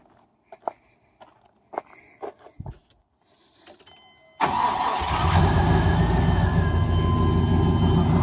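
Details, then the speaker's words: Freshly built 355 small-block V8 with ProFlo 4 port fuel injection and 4L60E in a 1993 Chevy C1500 Silverado, not yet driven hard: after some fumbling it cranks, catches at once and settles into a steady, even idle with no misses or knocks; runs normally. "Runs pretty good. Haven't really took it out and beat on it yet."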